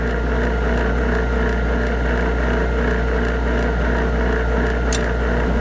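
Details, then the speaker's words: Trane furnace that won't heat: draft inducer motor, manually rotated past a dead spot, runs with steady drone and faint rhythmic scuff; bearings likely worn, rotor probably rubbing plastic housing; whole inducer unit needs replacing, not just capacitor. "we've got a bad spot in it we can hear the bearings may be out on this our rotor is probably rubbing on our plastic housing"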